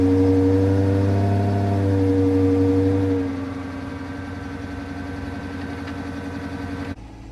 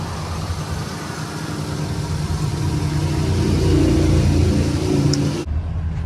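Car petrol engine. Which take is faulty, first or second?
first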